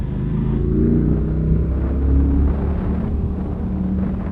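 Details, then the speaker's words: V-twin motorcycle while riding, fitted with a Delkovich 200mm stubby can exhaust; deep, even V-twin rumble with lazy uneven beat swelling and easing with throttle, strong and clean; normal V-twin exhaust note under riding. "If you're interested, this bike's got a Delkovich 200mm stubby can on it. It really opens up the character and the sound of the bike. Obviously it's a V-twin engine, so you get a lot of torque and a lot of grunt and a lot of noise."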